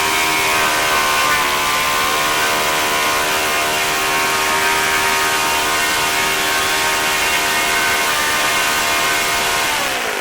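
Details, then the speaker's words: OS FS-40 Surpass glow four-stroke, first run after bearing replacement and full cleaning, new Enya #3 plug, 11x6 APC prop at about 9,400–9,500 rpm: high, steady buzz at high revs, easing down at end — runs well. "I'd say overall it's not a bad little engine seems to run pretty well"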